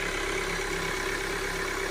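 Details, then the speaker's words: 2020 Datsun on-DO at minus 15 °C cold idle: fast light diesel-like clatter over the engine, unexplained knocking typical of hydraulic lifters not yet pumped up, occurring in any frost. "Мороз минус 15 градусов. Идет какое-то стучание непонятное."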